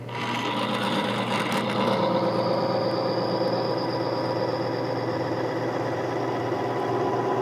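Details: Bearing friction demonstration rig, new bearing surface with oil, testing the BG MOA PN115 petrol engine oil additive: steady gritty rasp with thin high whine holding as load comes on slowly; bearing surface rubbing hard under load.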